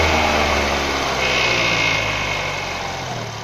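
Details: 2012 Nissan Tiida HR16 four-cylinder, automatic, idling with a light metallic rattle and thin whine; timing chain, tensioner, rails and sprocket already replaced but noise persists, source not found.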